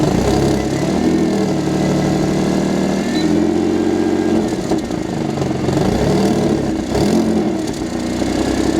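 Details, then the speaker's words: Audi S4 with aftermarket exhaust, at idle after the flex pipes were damaged: a loud, rough idle with a raspy, puffing edge and no rattle. Definitely an exhaust leak, fitting damaged flex pipes. "well I'll just for curiosity even though I know it's gonna sound bad let's hear what it sounds like now yeah it's definitely an exhaust leak but"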